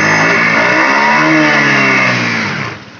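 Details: Honda Beat ESP scooter with a dead handlebar electric starter, after the double-starter fault is fixed: starter catches quickly and the engine fires straight into a steady, even run that settles smoothly.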